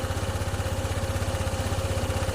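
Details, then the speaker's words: Honda ADV 160 scooter with a hard-start history, just started after a diagnostic scan: single cylinder idling fast at about 1854 rpm with an even putter that drifts and hunts. High unstable idle, corrected later by reprogramming. "Mataas pa yung RPM niya. 1854."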